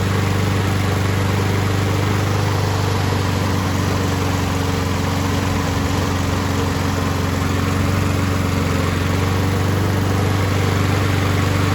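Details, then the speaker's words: Husqvarna push mower pulled from the trash, after carburetor jet cleaned of deposits and carb reinstalled: small single-cylinder runs on its own with steady, even rapid beat, no stumbling or surging; normal running, just needed carb work. "found out that this free mower did in fact run awesome guy that gave it up was right just needed some card work"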